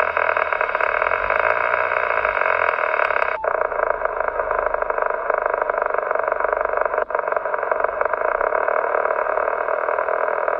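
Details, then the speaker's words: Few-months-old Yaesu FT-857D mobile install with ATAS-120A antenna: constant harsh crackling hiss with sharp pops on all HF modes except FM, persisting with antenna disconnected; whine rises with throttle. Radio grounded; owner suspects DC power to filter stages. "I put it on the mobile and although it looks to be uh working fine um on FM any other mode has a big crackling noise"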